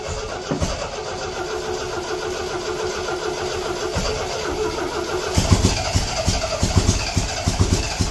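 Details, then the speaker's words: 1975 MGB project car: starter churns in uneven bursts with a few weak firings but never runs; battery going dead; cranks but will not start, old ignition points found afterward. "I mean it makes noise that's that's something oh I almost had it now then the battery's starting to go dead too"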